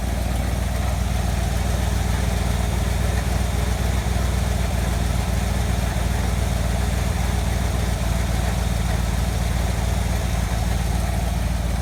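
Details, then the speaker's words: Chevy Cheyenne C20 V8, started after a couple of throttle pumps: lumpy, uneven idle that loses rhythm and nearly stalls; it runs well at speed but sputters and dies at idle. Rough idle, cause unknown. "will run good at speed in that throttle but when it comes to idle it'll just want to sputter and die and I've tried messing with it and just doesn't some seem to want it run right"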